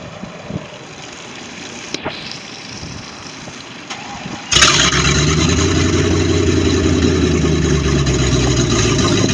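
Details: Baja boat, MerCruiser 5.7 V8: engine catches and settles into a rough idle with a light, regular tapping about four times a second; engine knocking, cause unknown.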